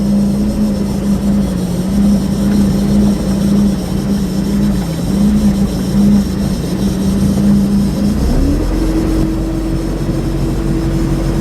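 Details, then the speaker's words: 2006 Bayliner 175, 3.0 sterndrive, at about 3,000 rpm, the best cruising speed per specs: a smooth, steady drone stepping up in pitch as throttle opens, with no knocks or rattles. Engine noise is quite normal. "Now as you can see, at 3,000 RPMs, the noise is not too bad. The engine noise is quite normal."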